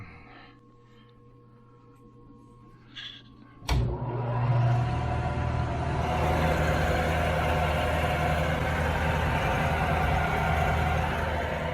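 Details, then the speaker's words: 1975 Hardinge HC Chucker lathe, variable-speed pulley drive with braking flywheel, after tightening stretched, slack drive belts; spun up to let the pulley adjust, it settles into an even, steady hum with no slap, squeal or flutter: normal running. "gotta run them to make that variable speed pulley adjust right now that sounds smooth"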